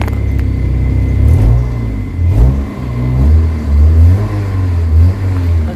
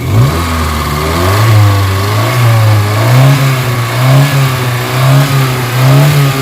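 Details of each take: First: Kia Pride after XADO engine treatment for white smoke, vibration and low power; smoke gone. Engine revs up and drops back cleanly several times, prompt throttle response with no stumble; smoother note around 2,200 rpm. Normal revving. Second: Kia Pride engine with heavy white smoke, vibration and low power, revved; blips surge up and fall back unevenly with a shaky rough note; worn cylinder liner and piston rings suspected, not confirmed.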